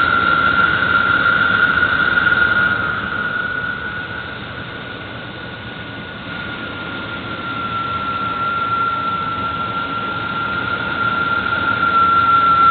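Engine running with a steady high-pitched whine from the belt area that fades and returns; the source is not identified.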